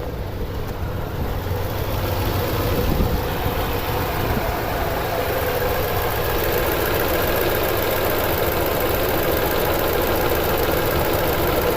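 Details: 2009 Toyota Tundra 5.7L V8 idling with codes P0300, P0305 and P0307, VSC and traction lights on, and 4Lo flashing; uneven, lumpy beat with occasional stumbles, and a misfire pointing to a bad injector.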